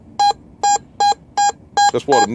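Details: Whites MX5 metal detector in two-tone, full sensitivity, auto ground balance: crisp repeated mid-pitch beeps about every half second over the nickel, even and consistent; correct nickel tone once working right after iron.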